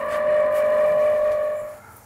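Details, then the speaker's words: Heat pump outdoor unit on an unlevel, improper base: loud steady droning whine from the fan, whose bearings wore quickly from running out of level. "fan bearings are built to be level uh if they go out a level they wear down very quickly and get very loud very quickly"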